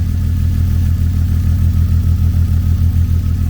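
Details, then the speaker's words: BMW E36 convertible six-cylinder at idle: deep lumpy stumble about 200 beats a minute; unplugging each coil shows no change on cylinder 6, confirming cylinder 6 misfire, cause unknown. "So after pulling all the coil pack wiring, when you pulled cylinder 6, it did not change. So that means cylinder 6 definitely has the misfire."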